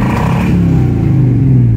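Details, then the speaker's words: 1984 Chevy K5 Blazer V8 sat 10+ years, first start, aftermarket temp gauge near 190: deep steady idle with a loud coarse crackling edge and uneven pulses; owner suspects the carburetor loading up, possibly rich, cause uncertain. "that loud cackle going on seems like the carburetor might be loading up a tad or something something's going on"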